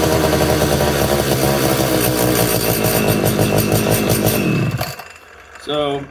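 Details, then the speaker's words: Homelite Super 240 chainsaw, untouched and unused for over 20 years and very dirty, just unflooded: it runs high and uneven, then sags and nearly stalls at idle, struggling to idle while making a lot of smoke. "definitely struggling to to idle a little bit but uh I mean that's pretty positive boy that made a lot of smoke too didn't it"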